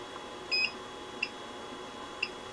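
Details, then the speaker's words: QUICK TS2300D soldering station, channel 3 mode: a longer high beep then two short chirps a second apart over quiet room hiss as the pencil is returned to its stand after holding temperature 2 (380°C); normal beeps as temperature starts dropping. "अब beep की आवाज़ आ रही है। दो लाल नीचे की ओर तीर के निशान दिख रहे हैं। और तापमान घट रहा है।"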